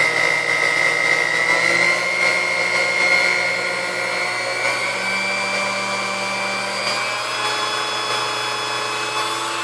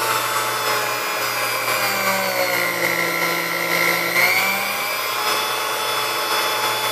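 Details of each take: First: Chrome Sunbeam Mixmaster Model 12 mixer motor after service and maintenance: steady high whine with a smooth, even hum, pitch settling slightly as speed is adjusted; runs cleanly, speed range reaching just past 10 suggests it needs adjustment. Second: Chrome Sunbeam Mixmaster Model 12 motor during service, brushes good, grease due for change, resistor suspected out of spec: a steady high motor whine whose pitch wanders slightly at top speed, reaching just past 10. The speed control needs adjustment.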